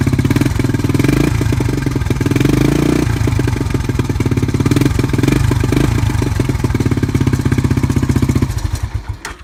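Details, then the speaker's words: 1986 Honda TRX (quad) cold start on a cold day: the single cylinder idles unevenly with a light metallic clatter on each beat; timing chain noise. "And if you're wondering what that noise is, that's just the timing chain."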